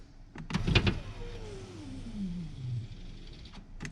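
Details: Scion FR-S power window that will not go up, shop's earlier repair suspected: a few clunks, then the window motor hums with its pitch sagging steadily as it labours and binds; window regulator track suspected damaged, motor thought fine, not confirmed.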